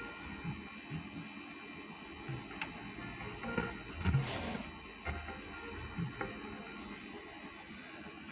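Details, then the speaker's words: Audio amplifier tested after replacing the Toshiba final-stage output transistors, playing music: output comes through faint under a constant steady hiss, louder on the L channel; balance control also suspected faulty. "Tapi suaranya pelan, masih banyak desisnya."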